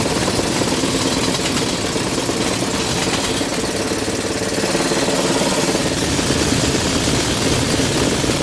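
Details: Goodman furnace indoor unit, no-cooling call: loud steady rushing roar with rough uneven shaking rattle; destroyed blower vibrating excessively in its housing, causing intermittent low control voltage, new blower housing likely needed.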